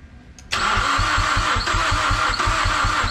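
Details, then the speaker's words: Mazdaspeed6 after new ECU and all-wheel-drive module programmed via FORScan: starter turns over in quick even beats about four a second, occasional kick and exhaust pops reported; no catch, cranks but does not fire. "Well, guys, I feel like we're getting close, because I've never heard it try to kick like that a couple times, and we're getting more pops and, you know, burble backfires in the exhaust every couple cranks."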